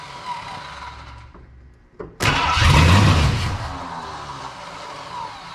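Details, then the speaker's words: 1979 Ford F250 4x4 Snow-Fighter, parked since 1986, with a powertrain sitting since 2016, on a battery charger and starting fluid with no fuel tank hooked up: slow cranking, then a brief loud rough catch that fades. "so it clearly wants to go obviously I'm doing a horrible job of this I think I'm probably going to call that it"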